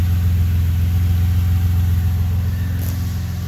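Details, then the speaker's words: Car first start after engine was pulled out and reinstalled to fix problems, V-band joints checked: steady, even low idle with a smooth regular beat, no ticks, knocks or misses; sounds healthy, no leaks noticed. "but the car sounds good it's just I'm so excited the first thing I was expecting went up when I turn this thing on was at least to see leaks"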